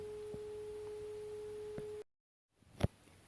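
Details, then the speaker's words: NAD 300 amplifier (built c.1975–1979), test tone used to set left/right signal levels during alignment; clean, steady mid-pitched tone with no crackle or warble, then silence; left channel reads slightly high; normal test tone output. "i can change between left and right they are both about right left is a little bit too high"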